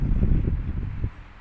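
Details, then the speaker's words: Electric fan freed of stiff, squealing bearing by oiling the spindle without disassembly, running on speed 3 after repair: steady low airy rush, stronger than lower speeds, no squeal or scraping; spinning normally. "เดี๋ยวเรามาดูเกียร์3นะครับแรงขึ้นนะครับเป็นปกตินะครับ"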